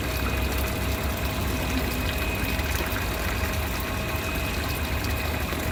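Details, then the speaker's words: Midea 7 kg top-load washer MTE70GP after replacing faulty main control board with a Super General board, low water level selected; steady hiss of water filling over low hum, inlet valve filling normally, later cut off by pressure sensor. "Now water taken to the machine. Now still taking water."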